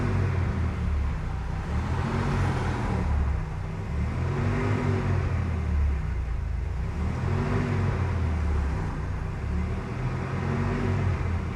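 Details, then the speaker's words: Mercedes-Benz W124 230E, hot, fan clutch engaged (tested to activate at 100°C) after a new thermal vacuum switch was fitted; engine revved in slow swells, fan roar rising with the revs while the temperature comes down; normal fan clutch engagement. "Generally when it is like this and I give it some revs and the fan picks up momentum, you can actually see the temperature come down."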